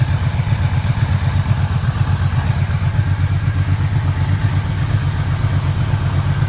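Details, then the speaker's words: 1985 Yamaha Vmax V4 after carburettor rebuild, coils, leads, plugs, boots, first start, no air filter: deep even burble at low steady idle around 850 rpm, no popping or misses; healthy idle. "this bike always loved idling about 850 revs just used to sit there mopping over just like now"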